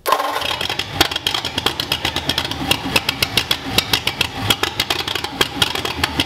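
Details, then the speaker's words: 1941 Ford flathead on a run stand with Winfield cam, Fenton heads, dual-carb intake, old Strombergs, mock-up distributor and no radiator, first start: fires, then a fast string of slightly uneven open-exhaust pops at idle; carbs still untuned. "all right we made noise yes all right so we got the engine to fire make noise with our wind field cam our fenton heads our dual carve intakes some old strombergs that we cobbled together and it at least started an idol"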